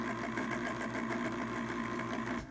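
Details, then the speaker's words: Pellet stove auger gear motor, ball-bearing type: whirring with a steady, fast, uneven clanky clatter running through it; it still works and may feed pellets but is not healthy, unlike a new motor. "the next one has a different sound the um even though it is a better ball bearing motor it um makes quite a clanky sound let's listen to that"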